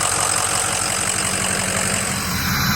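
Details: Ford 6.0 diesel after turbo, oil cooler, dummy plug and EGR delete work and a coolant flush: an even, steady diesel clatter at idle with a regular low pulse and no knocks or misses while it warms up.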